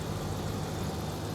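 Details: Ram truck idling just after start on newly installed Optima QH6 lithium battery (880 CCA), app showing 14.48 V and full charge: steady even low rumble with no knocks or misses, normal idle.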